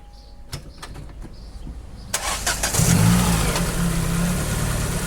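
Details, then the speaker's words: Engine started after new platinum spark plugs and a rocker (valve) cover repair, after sitting 15 days: quick crank catches first try and settles into an even, steady idle with no misses or ticking; no leaks found. "Bon mais tu vois déjà, 15 jours ça démarre au quart de tour."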